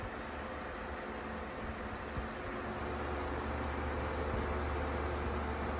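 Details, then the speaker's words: 2007 Lasko 12-inch table fan model 2500 on high speed gives a steady whoosh with a low rhythmic wobble about three pulses a second, a vibration from slightly out-of-balance blades. "blade balance is um it's a little sus it's a little sassy if you will does have some vibration to it here is the high speed and i think you can hear the vibration"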